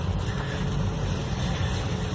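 Only a steady low road rumble while driving, no clunks or knocks from the front end over bumps; suspension sounds tight.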